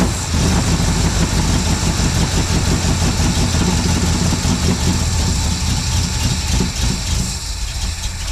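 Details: 1972 Plymouth Valiant, 318 V8 (was slant six), Holley 600 carburettor after rebuild: lumpy, uneven V8 idle with a loose wandering beat; running richer, blamed on the wrong primary metering block gasket.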